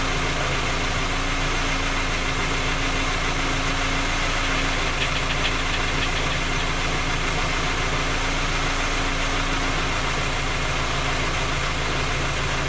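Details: Skoda Octavia A5 facelift 1.6 MPI, engine knocking when cold despite three engine repairs that did not find the fault: even idle with a fast, steady knock at roughly three per second; source remains unknown.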